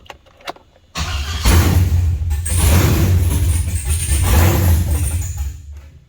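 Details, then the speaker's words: LS truck with no standalone fuel pressure regulator yet: catches after brief cranking into an uneven, lumpy low rumble; runs rough, likely flooding from excess fuel pressure. "Yeah, obviously it's not gonna run right. Yeah, it's probably just gonna flood it out."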